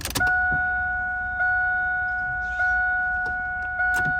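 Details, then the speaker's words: 2002 Chevrolet Camaro Z28 after a steering column swap: a steady two-tone chime repeats about every second with no starter click or cranking. Owner suspects the security system is blocking the start; not confirmed. "no crank at all I'm confused I know it's the security system it has to be"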